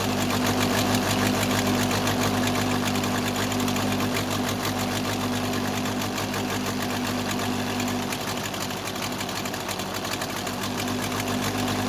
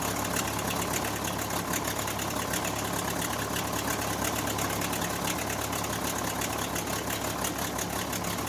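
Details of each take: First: Case 580C backhoe diesel after valve adjustment, injector lines cracked one by one at idle; uneven lumpy beat about three a second, second cylinder weak; owner suspects second injector, valve or piston rings, not the line: misfire on one cylinder. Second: Case 580C backhoe diesel, first start after valve adjustment, injector replacement and fuel stop cable fix; settles to steady idle with even clatter about three beats per second, no stray knocks. Normal idle.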